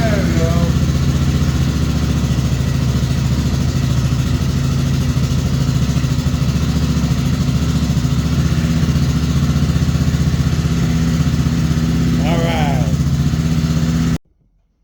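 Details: 1985 Suzuki LT300 quad after starter repair, sat a couple of weeks, in neutral: low, steady thumping idle for about fourteen seconds with no misses, knocks or hunting; running normally.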